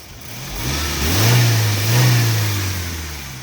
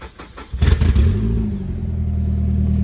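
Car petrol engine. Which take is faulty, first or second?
second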